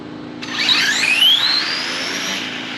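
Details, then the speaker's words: Mid-motor RC drag car on red Voodoo tires, launching on the next ramp setting with less timing: a fast-rising electric whine sweeps up, then settles to a steady high pitch. It makes a cleaner pull that no longer slams the tires so hard. "But see me taking a little bit of that timer now, it's not hitting the tires so hard."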